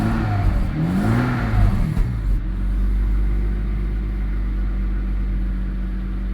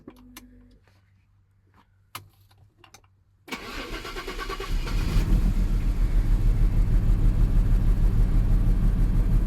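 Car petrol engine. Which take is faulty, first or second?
second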